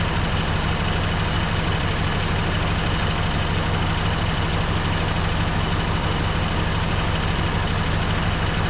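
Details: 1954 Dodge Coronet V8 (Hemi/Poly), stored 42 years, now warm, freshly refilled with coolant: smooth, even idle with a steady low burble, no lifter ticking or stumbles; sounds healthy.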